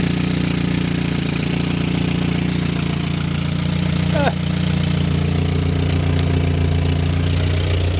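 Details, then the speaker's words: Barn-find Willys Jeep four-cylinder, year unknown, first runs after fuel pump screws tightened and idle mixture adjusted: steady, even low idle with regular beat, no knocks or misses; slight smoke, no big oil leaks, running healthy. "I rinsed up the idle mixture. Smoking a little bit, but I bet you that clears up. Listen to that. No big oil leaks."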